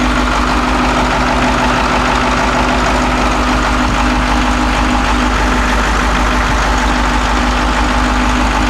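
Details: Caterpillar 225 BLC excavator diesel after head reinstalled with new bolts, valves adjusted, new ignition switch and coolant refilled for a water leak: steady, even idle with a firm low beat, no misses, knocks or hunting; sounds healthy.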